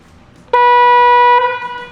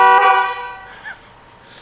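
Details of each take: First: Rivian R1T stock horn with one of the pair disconnected: a single thin, nasal note of about a second with no deeper second tone; weak horn sound. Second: Rivian R1T factory horn before the upgrade: one short honk with a bright, steady pitch that fades quickly; works normally though the tone is thin.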